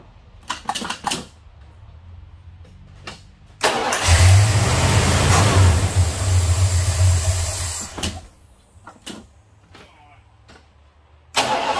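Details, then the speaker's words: Plymouth, cold start: catches, then runs unevenly for about four seconds before dying; rough running traced to the unplugged brake booster vacuum line. "she's not happy not happy oh get back to you I found it well she was running rough"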